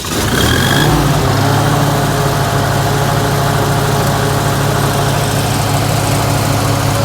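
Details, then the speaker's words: Lincoln SA-200 welder engine recently converted to electric ignition with a new carburetor, started with switch on auto and no choke: catches quickly and settles into an even steady low drone without misses or knocks; runs nice. "I just recently did a little work on my SA, converted this into electric ignition, rebuilt the, well, not rebuilt, I actually bought a new carburetor, and it runs nice."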